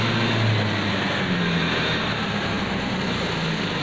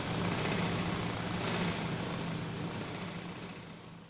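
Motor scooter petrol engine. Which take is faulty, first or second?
first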